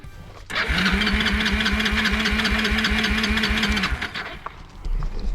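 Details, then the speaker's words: Kawasaki 300 four-wheeler sat almost a decade, jump-started off a Milwaukee tool battery: small single fires on a lot of starting fluid and a little throttle, uneven rapid beats, dies after seconds. "so you gotta rip it huh kind of kind of it ran with a lot of starting fluid and a little bit of throttle"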